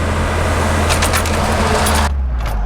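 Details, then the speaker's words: 1991 Volvo 245 (240 series), warm, in park: fast, steady droning idle estimated around 2200 rpm versus a normal 1,200; high idle caused by a misaligned throttle position sensor. "it's a really high idle unfortunately my tack is a little screwy right now so I can't check the idle speed but juding by my you know these funny little RPM gauges on the side of my head it's probably sitting about 2200"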